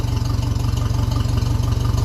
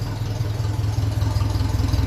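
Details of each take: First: 1957 Ferguson 35 TVO tractor idling with a vertical exhaust fitted: slow, even idle with a sharp puffing chuff on each firing stroke as exhaust still leaks at the pipe joint; needs working down onto the sleeve. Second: 1957 Ferguson 35 TVO tractor idling at about 600 rpm, warm, with a shorter underslung exhaust silencer fitted: low, even thump, steady with no misses or knocks; normal idle.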